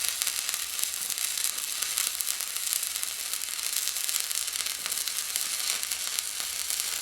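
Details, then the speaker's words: Fronius TransSteel 2200 stick welding an 1/8 in 7014 rod at about 107 amps: even, steady crackle and sizzle, no popping or sputter; smooth-running weld. "as you can see it does weld it um I'm not the best with these I actually just started using them yesterday"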